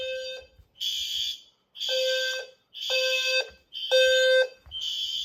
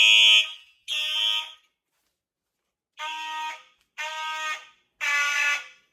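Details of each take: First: System Sensor fire alarm test (L series strobe, P2R, P2R LF, P2GRL): loud shrill horn blasts about once a second with short gaps, strobes and horns firing together; normal horn-strobe test. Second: Simplex fire alarm system test with horn-strobes (Simplex 4903 series, True Alert, Wheelock MT, Gentex strobes) on one circuit: five uneven horn blasts, later ones raspy and thin with ragged tails; horn weak, starved by too many devices sharing the notification circuit.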